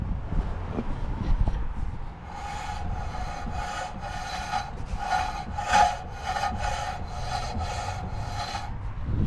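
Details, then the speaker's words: HSV VP/VN Senator first drive after restoration: rhythmic metal-on-metal scraping pulsing with wheel rotation; brake dust shield found touching the bottom of the disc. "So I think something's stuck in there behind the dust cover or something like that."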